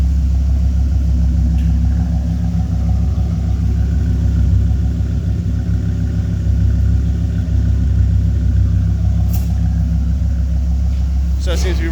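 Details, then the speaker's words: 2000 Dodge Viper GTS V10 during pre-purchase inspection startup: even, deep burble idling just under 1000, about 800 rpm, steady with no ticks, knocks, misses or strange engine noises; smooth, healthy idle. "there we go so it does run idling just under a thousand about 800 there are no strange engine noises"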